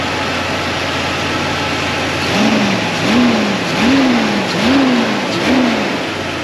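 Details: 2000 Jeep Cherokee XJ 4.0L after knock traced to a cracked flywheel, replaced, engine reinstalled: revs blip up and down about once a second, clean and even with no knock or tick; healthy.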